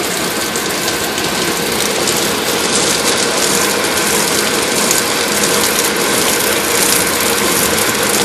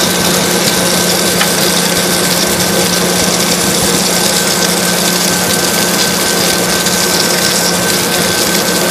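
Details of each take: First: Water tower (swamp cooler) pump installed incorrectly, fed from the bottom through a sand filter, so pressure is upset: a constant hissy rattle with fast, uneven ticking and no water load; it has lost prime, runs dry and won't spray. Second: Water tower (swamp cooler) pump, after isolating it with shut-off valves so it can prime: steady, even hum with rushing water and no surging or rattle; now primed, it "hums like a beauty, purrs like a cat."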